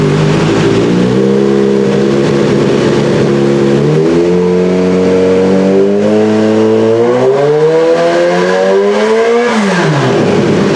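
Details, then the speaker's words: Kawasaki ZH2 on dyno: strong rising engine note climbing under load, clean and even wide-open pull before backing off; healthy motor, with low-rev lean readings blamed on unblocked PAIR valve and suspect air-fuel meter pump. "So, anyway, the motor sounds pretty good though."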